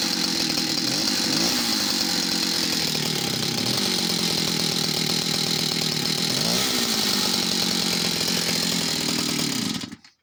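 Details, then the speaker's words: Stihl 041AV West German chainsaw, project saw needing TLC: high buzzy note dips and stumbles twice after throttling down, struggling to pick up fuel, then fattens out with great throttle response; fuel pickup hesitation suspected, saw to be stripped and inspected. "yeah even then interesting that so when i throttled down you could just hear it then struggling to pick up fuel and then when the note had gone fat and you could hear then it the throttle response is great"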